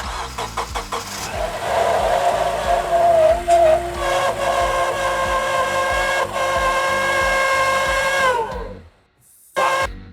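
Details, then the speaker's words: Honda Element, engine running after power steering pump replacement: steady high whine persists, so the pump was not the cause; owner suspects the belt tensioner pulley, which spins freely and noisily. Not confirmed. "Turns out we still have a whine in the vehicle, and upon further diagnosis, I believe it to be the tensioner pulley."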